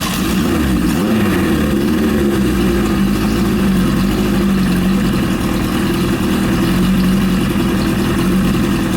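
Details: Suzuki GS750 after top-end engine overhaul; steady, even low rumble with a smooth idle, no knocks or ticks standing out; the engine sounds healthy.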